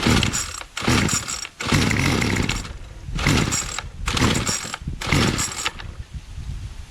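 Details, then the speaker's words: Bolens MTD BL-160 25cc two-stroke trimmer after cleaning a debris-blocked carburetor mesh, started on half choke: catches in short raspy bursts that sag and cut out, dies when throttle opened; owner suspects mixture screws need adjusting. "okay so it idles at uh when the choke is almost completely closed then when you open it stayed idling but then once you tried the throttle it uh died out"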